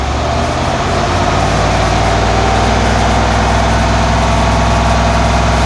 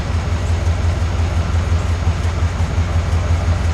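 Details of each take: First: 1991 Cadillac Brougham after exhaust replacement from catalytic converter back with new resonator and Walker Quiet-Flow SS stainless muffler, fixing a drone at about 59 mph; off idle the V8 gives a deep, even rumble with no pulsing beats, smooth and healthy. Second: 1991 Cadillac Brougham idle, meter about 10 in from tailpipe, about 68–70 dB: deep droning rumble with distinctive beat about twice per second; muffler installed backwards and upside down, original resonator missing, likely contributing to drone around 59 mph.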